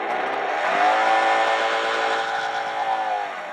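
Smooth whine rising and holding steady as the throttle opens, with a faint relay click at the start: the motor is running healthily.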